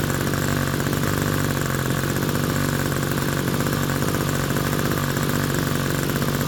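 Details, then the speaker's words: Small RC glow engine on Swamp Juice fuel with a standard OS No. 6 glow plug, after tuning and transition checks: fast, steady buzzing drone at constant pitch, no sputtering or surging; normal idle. "Check transition again. That's about what it should sound like."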